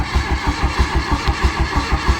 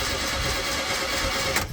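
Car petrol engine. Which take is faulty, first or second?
first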